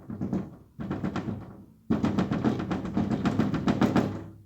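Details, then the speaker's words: Renault Sandero/Duster/Oroch: hand taps on the front door panel give a hollow, buzzy rattle while the rear door stays quiet; loose door skin, suspected detached inner reinforcement along the panel, factory or wear fault. "fíjense que lo hace ese panel y este no el de atrás no"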